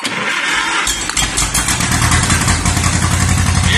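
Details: 1950s–60s John Deere bulldozer that sat unused 20+ years, started with plugs back in and starter fluid, catching and settling into a steady, somewhat uneven running beat without stalling as it warms up.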